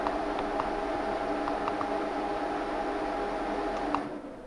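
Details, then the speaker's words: BMW E39 M5 twin electric radiator fans on an added digital temperature controller, tested with coolant at 18°C by lowering the setpoint: steady even whir with faint hum for four seconds, then fades as they switch off; fans working normally. "And then you get a little output LED telling you they've come on, and as you can hear in the background, the fans have"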